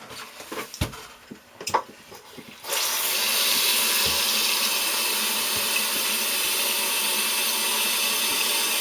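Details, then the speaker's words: Running toilet after fitting a new flapper and rehooking the chain, water turned back on: a few clunks, then steady even rush of the tank refilling until the float shuts the fill water, no hissing surges; normal tank refill. "what this does is as the water fills up the float is what turns off the fill water"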